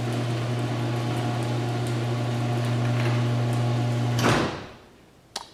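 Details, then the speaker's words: Six-year-old LiftMaster 8365 garage door opener closing the door after maintenance (rails and gears re-greased, chain adjusted, springs, cables and pulleys serviced); steady low hum, even chain drone, clean cut-off at end of travel; normal operation. "nice again much quieter at the end because probably because of the trolleys springs sound nice and quiet as does the door itself very very good"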